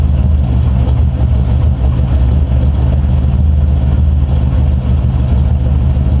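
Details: 1986 Camaro IROC V8 at idle, loud, with a heavy low knock under the exhaust beat. The owner suspects rod knock; unconfirmed.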